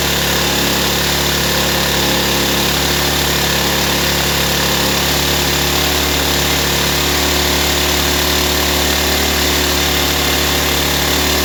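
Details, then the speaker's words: Nearly new Ryobi 1200 (1.2 kVA) generator, 3 hours total running, other mechanics failed to start it, previously ran only on full choke; after carburetor work, started on choke with air cleaner off, now a loud steady buzzing drone, running normally. "Okay guys, this was a success story."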